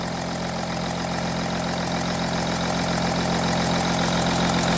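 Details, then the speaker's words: Audi Q7 3.0L diesel (P0272 cylinder 4 misfire, P0087 low rail pressure) idling: sharp, regular ticking chuff about 3.5 per second from combustion gas leaking past an injector seat. "you see that that's a compression leak right there you see that so this injector here this injector here is leaking compression okay"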